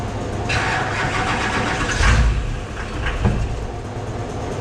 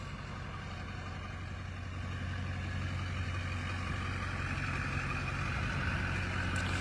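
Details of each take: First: Airport limo first start after front clip paint, only lift pump rewired, ran before: engine catches briefly then dies on each try; starts then immediately dies, owner suspects anti-theft, unconfirmed. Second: Airport limo after front clip paint, running outside after earlier start-then-stall issue: deep, steady idle rising slightly, no ticking, knocking or stumbling; normal idle, running like a top.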